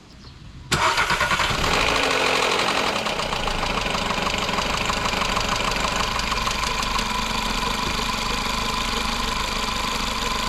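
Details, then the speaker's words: VW Jetta 1.2 TSI just after an oil change (3.9 L): harsh metallic rattle for the first seconds after start-up, before oil pressure builds, settling to a fairly even idle with light injector ticking. Timing chain and tensioner are due for replacement. "Vì vậy, như bạn đã nghe, có một vài giây động cơ kêu rất tệ nhưng bây giờ thì ít nhiều hoàn hảo"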